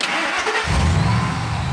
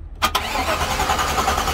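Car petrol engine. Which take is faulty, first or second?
second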